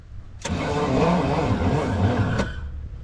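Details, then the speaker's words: 1969 Pontiac Bonneville 428 wagon, sitting since 1981, on a new battery: sluggish, labouring crank for about two seconds that never catches; slow cranking, owner suspects a cooked starter or seizing engine. "Oh, why the slow crank? So what's our troubles here? Are we losing our starter? Or are we seizing up?"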